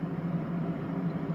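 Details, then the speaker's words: PC case fans on MSI motherboard with Smart Fan mode switched off in BIOS: loud, constant low drone and airy rush, RPM raised with no rise or fall; fans running flat out without automatic control. "Gördüğünüz gibi fan sesi hızlandı. Çünkü bir akıllı bir şeyimiz yok şu anda yani. Bakın burada direkt çalışıyor gördüğünüz gibi. Bakın RPM arttı. Gördüğünüz gibi çok ses yapıyor."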